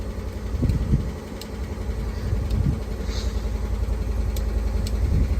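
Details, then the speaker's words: Rolls-Royce with an ignition power fault that caused a breakdown, after a fully refurbished ignition switch was refitted: the engine starts and settles into a low, steady, even idle with no misses or knocks. "woohoo we have ignition and it's running look at that"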